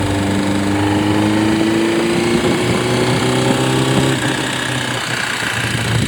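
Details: Honda CBR600RR PC37 four-cylinder idling with a hard, uneven clatter about four times a second over the exhaust beat; source unclear; abnormal engine noise at idle.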